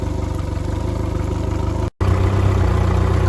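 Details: Used outboard motor test-run in a barrel of water rather than on hose muffs, after a new water pump impeller (old one gave inadequate flow): steady, even low idle thump with no knocks or rattles, running cleanly at idle.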